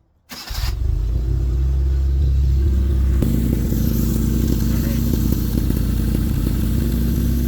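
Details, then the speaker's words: 650cc Joyner side-by-side engine after a head gasket replacement and upgrade to a 55 A 1974 Toyota alternator: cranks briefly, catches at once and settles into a steady, even run with a blip. Starting fluid was used on the first start. Sounds healthy. "so now that's all together let's fire it up see if it's charging I did use starting FL when I started the first time so started really nice quick"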